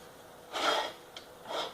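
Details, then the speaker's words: Honda ATC110 rear end, wheel turned by hand: slow scraping rasps as the brake drum rubs on a bent rear cover, nearly worn through. Plan is to bend the cover back. "I think what's happening is this cover here is bent and it's causing the brake drum here to rub well I know it is uh because if you listen if I can get this to turn you can hear that rubbing in there"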